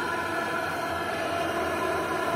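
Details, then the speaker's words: Lavaner 12V 5kW diesel water heater during first test, water steaming: even burner roar and fan hiss, no surging or popping; similar to a diesel heater, possibly slightly louder; running cleanly. "from the fan itself inside the heater but nothing nothing crazy very similar to a diesel heater possibly slightly louder"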